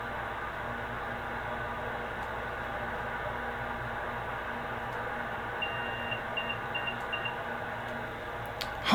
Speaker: you heard those beeps those are called beep codes and almost every computer has some kind of beep code